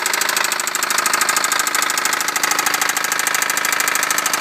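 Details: 1998 Honda Civic cold start: loud, rapid, heavy metallic knock hammering steadily at idle, about two or three blows a second; severe rod knock from a badly worn rod bearing.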